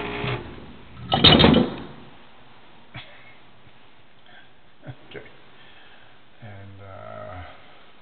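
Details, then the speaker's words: 10-year-old refrigerator compressor near failure, heard at the round labeled unit: a harsh, rattling clatter of about half a second as it stops, then a few faint knocks, a "death rattle" meaning replacement. "that's known as a death rattle but when you hear that out get yourself a new refrigerator or call me"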